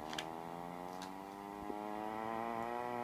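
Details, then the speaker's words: Mesa Mark V amp on channel 3 with no guitar plugged in and all tubes replaced; channels 1 and 2 are quiet. A low buzzing putter slowly climbs in pitch like a motorcycle starting: amplifier motorboating noise. "sounds like there's a motorcycle starting up in there changed out all the tubes I still get the same [Music] noise"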